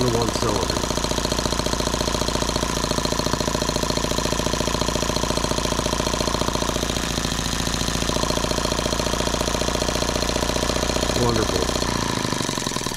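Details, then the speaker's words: Microcosm H76 twin model engine after valve lapping and new rings, switch at low speed: fast, uneven, lumpy popping at about three and a half per second, running on one cylinder with one dead. "all right well I guess I will dig back into it pull the plug and see which one is dead"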